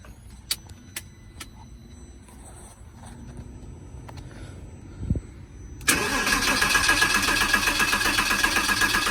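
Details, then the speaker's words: Project Porsche Boxster with newly installed fuel pump, relay refitted: starter cranks evenly at about four turns a second but it never catches and the tach stays down; it later started on starter fluid, showing no fuel reaching the rail. "All right, so it's cranking, but no start yet. And you know what I noticed? The tack doesn't come up."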